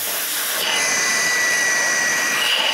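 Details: GMC Envoy electric secondary air pump, code P0410, outlet line unplugged: steady rushing hiss that opens up and grows freer with pressure release; pump moves air fine, while the diverter solenoid valve is stuck shut.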